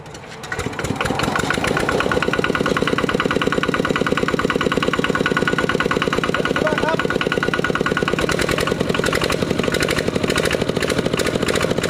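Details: Used 12 hp RT120 single-cylinder diesel tractor (walking tractor) with small-eye head, Sai Fah ZR frame and manual gearbox, test-driven: steady, even thump around 110 beats a minute once it catches, no knocks or misses; sounds healthy.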